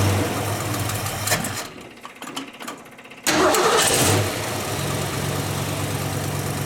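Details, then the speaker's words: Ford Mustang with a 347 V8 rebuilt last fall, carbureted with an electric fuel pump, cold start after winter storage: brief crank, loud flare, then a steady, even idle; healthy start. "She sounds great. Listen to that. That is not what the new Mustangs sound like."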